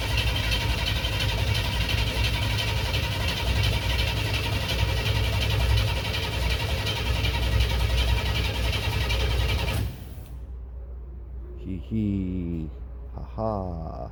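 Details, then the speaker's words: Holley Sniper EFI airboat engine with distributor, cranking on the second key-on: about ten seconds of steady uneven chug that never fires. No spark; owner first suspected MSD wiring, but the box flashed seven times and the cylinder select switch had been set wrong. "something not working sounds like i don't have spark um which could be the way i have the nsd wired in"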